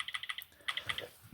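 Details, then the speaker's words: Nintendo Switch Lite R shoulder button after replacement (the old one had lost its click), tested in the controller test menu: crisp, even clicks in quick bursts, nothing sticky or mushy; the button works properly. "excuse me so that's working fine there now they're both working fine"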